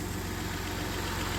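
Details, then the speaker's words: Transplanted 3.0 V6 in a '91 Dodge Caravan, first start after 19+ years: steady, even low purr running on all six, with no ticking or knocking and only a slight exhaust leak. Normal smooth idle. "Listen to that motor. No ticking, no knocking, no noise, nothing. It's just purring."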